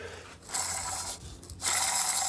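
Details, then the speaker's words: 1992 Mercedes W124 M103, random overheating repair: fan bearing bracket pulley spun by hand gives dry, ratchety whirring in bursts; owner unsure it has a bearing and dislikes the sound. Suspected rough bearing, not confirmed. "bearing bracket um for the fan i don't know if it has a bearing in it because the fans already got a ass bearing maybe it does i asked a question i'm waiting for a response but should sound like that yeah i don't like that"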